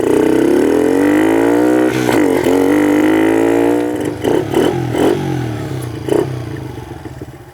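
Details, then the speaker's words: 2006 Kawasaki KLX110 pit bike after carburetor jetting changes (main jet changed from 84 to 88, needle moved up): revs climb crisply and return cleanly to a steady idle, running much better than before tuning. "There you go, that's sounding a whole lot better than when we started."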